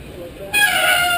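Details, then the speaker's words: Bicycle front disc brake; after Squeal Out treatment, then fine-grit manual pad deglazing and acetone cleaning, a sharp, steady high-pitched squeal starts suddenly as the brake bites and persists; disc brake squeal, cause not yet confirmed. "The squeal is not out of the brake."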